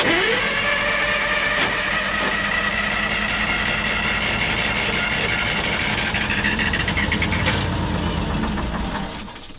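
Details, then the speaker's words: Drott excavator that sat 15 years; steady starter cranking about 3.5 beats a second, never catching, then winding down. Cranks but won't fire; white smoke seen, it's not getting fuel; stop control being checked. "yeah it's not getting fuel"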